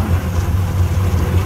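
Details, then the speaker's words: Honda Civic EK after a new timing belt and tensioner: a smooth, steady low hum at idle with no ticking or slapping. It has a bad IAC that upsets idle at first, then it settles after sitting a minute. Normal idle. "So we got it running again. It sounds good. So it sounds happy."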